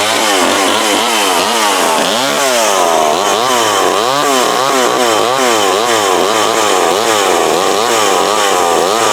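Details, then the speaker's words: Older McCulloch Mac 120 two-stroke chainsaw, previously taken apart, running after only a carburetor adjustment-screw tuning; it screams and rises and falls evenly as it revs, bogging slightly in a cut with a dull chain, and the tune sounds about right. "There we go. That is that McCulloch Mac 120. So the thing about having me wore out, all it needed was a carb adjustment."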